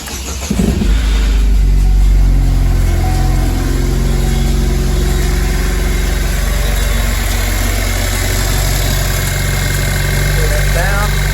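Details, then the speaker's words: 2007 Pontiac Solstice Ecotec 2.0 turbo, no check engine light, started: engine catches and settles to idle with a quick, fairly even slapping rattle over the hum, suspected timing chain slap. "07 Pontiac Solstice Ecotec 2.0 the turbo version with a what we believe to be a timing chain slap sound"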